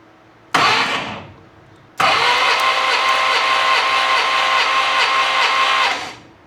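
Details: Unimog 404 cranked: a short starter burst, then about four seconds of steady even whirring with no firing; engine cranks but never catches, no fuel.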